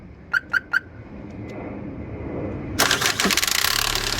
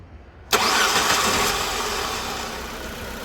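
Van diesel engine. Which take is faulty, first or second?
first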